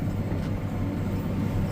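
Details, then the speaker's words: Baler working heavy green feed crop after repair of intermittent twine-catching problem: steady, deep, even rumble with no tapping or rattling from the bars on the roller; bale reached 64 and twine did not catch, everything working well. "So it did not catch, and at this point everything seems to be working good."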